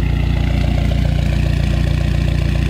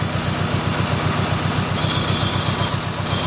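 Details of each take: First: Dodge SRT-4 after intake manifold gasket replacement fixed a vacuum leak: steady even idle about 950 rpm, deep regular pulse, no hiss or ticking; slight misfire remains, owner suspects fuel pump. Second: Dodge SRT4 petrol engine at idle: loud airy hiss over the pulsing exhaust from a large vacuum leak at the intake manifold gasket, causing long-running misfires; gasket replaced.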